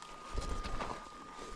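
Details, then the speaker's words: 790/890 motorcycle idling at high elevation while warming up on the road to Black Lake near Cuprum, Idaho: thin, steady high-pitched whistle over quiet idle from the fuel tank vent; harmless, don't open the gas cap, goes away later. "It's the vent. And when it's warming up and you're at high elevation, you'll get that whine from the vent."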